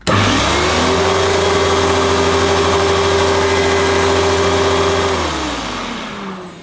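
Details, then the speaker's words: Hoover Futura S3563 canister vacuum power nozzle running: steady motor whine with even brush hum at constant pitch, winding down smoothly at switch-off; belt looks pretty good, brush turning normally. Headlamp doesn't work; slight smell noticed, source unclear. "now think the belt in that's pretty good to be honest"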